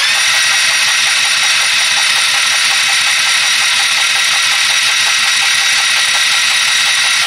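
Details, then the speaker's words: Freshly rebuilt Trailmaster 150 stroker engine, pre-oiled, cranked with spark plug removed to circulate oil to the top end: steady high-pitched starter whir with fast even ticking and no firing. "what I'm doing is just getting oil pump the circulate oil up to the top end okay"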